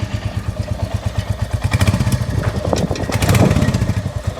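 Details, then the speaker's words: Royal Enfield Hunter 350 at idle after tightening loose exhaust header nuts that had been leaking; an even, steady single-cylinder thump of about five or six beats a second with no ticking or blowing, back to its original sound. "अब बिल्कुल मक्खन मलाई होगी है जो first they अपनी bike की sound थी ना वही साउंड जो है वो हो गई है"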